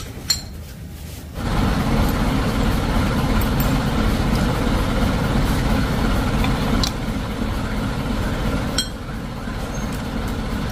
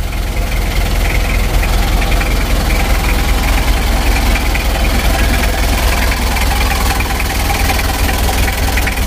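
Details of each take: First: Mitsubishi L300 diesel (2000) engine, rebuilt after heavy damage, idling with a steady, even diesel clatter and a few light clinks, with no knocks or surging; it is idling normally. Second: Rebuilt Mitsubishi L300 diesel (2000), first running after assembly: hard, fairly even dry rattling knock about two or three a second at idle; diesel knock from injection timing set too advanced, to be reset to standard.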